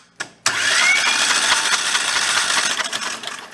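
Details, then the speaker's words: Rebuilt Kohler Command 20 hp engine cranked with the oil pressure switch removed to prime oil: steady spin at roughly four turns a second without firing, no binding or grinding; normal cranking and decent oil flow. "let's go spinner around a little bit and see what happens that's what we get ah it's got to fill up the oil filter too"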